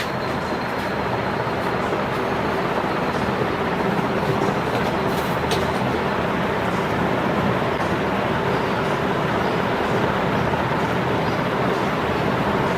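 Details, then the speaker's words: Ceiling fan after repair for low speed (thick oil paint buildup blamed for slowing it), rehung and run at only 200 V supply: even steady whoosh of air with no ticking or rubbing, good speed. Normal ceiling fan running. "दोस्तों, यहाँ पे आपको आवाज़ भी सुनाई दे रही होगी और पंखे की स्पीड भी नज़र आ रही है कि पंखे की स्पीड काफ़ी अच्छी है।"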